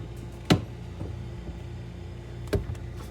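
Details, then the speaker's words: Frigidaire side-by-side refrigerator LFSS2612TF4 with new fridge air damper (part 242303001), after repair: steady motor hum, damper opens normally, only single end-switch clicks, no repeated clicking as when old damper stuck closed and fridge warmed to 50°F. "there you go damper's opening right now to allow the air to blow in no more clicking noises"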